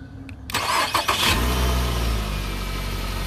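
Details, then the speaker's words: 2013 Nissan Altima 2.5, keyless push-button won't start: starter powered directly with ignition switch open; starter whirs briefly, engine catches cleanly and settles into steady, even idle with no misses or knocks; starts fine. "el auto encendió estas son buenas señales"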